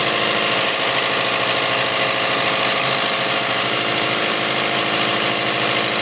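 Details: Isuzu 4BC2 diesel with hard-start problem, after injection pump calibration for easier starting: idling steadily with an even clatter around three hundred beats a minute, no misses or hunting; normal idle.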